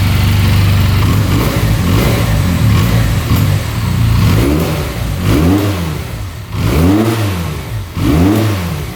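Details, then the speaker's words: 2022 Benelli 302S, auction purchase, being revved: a deep, low exhaust note that rises cleanly with each throttle blip and falls back smoothly, with no knocks, misfires or smoke. Normal revving. "It's got like a low sound to it. Yeah, looking good."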